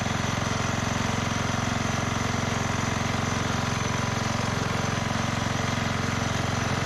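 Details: 1991 MTD 12/38 riding mower, received free and getting a rattle-can restoration: it fires right up into a steady, even single-cylinder putter at idle with no misses or knocks. Normal idle.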